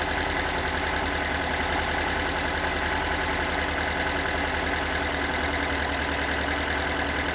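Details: Stock unmodified bigport blue-top 4AGE in a Toyota AE86, about 195,000 km on the swapped clock, regularly maintained, warm engine: uneven, lumpy rough idle with a loose irregular knock under the exhaust note; owner cannot locate the cause.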